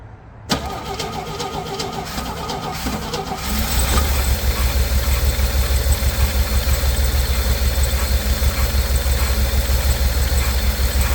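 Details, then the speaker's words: 1964 Chevy C10 on original drivetrain, first start in 30 years, cold, run without radiator: cranks, catches and runs unevenly with a lumpy, wavering, fuel-starved beat near stalling; owner suspects no gas reaching it, kinked hose or insufficient gravity feed. "yep now it could be a million different things such as a hose kinked or at a slight end or that it's uh not gravity fed even the slightest"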